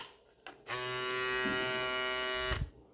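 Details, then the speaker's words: Hair clipper (shaver) after replacing a small spring-seat part that caused a jackhammer-like noise: steady, even, high buzz with no rattling or hammering. Normal running after the repair. "Olha a diferença da máquina Olha a diferença uma simples peça pode mudar toda a sua máquina"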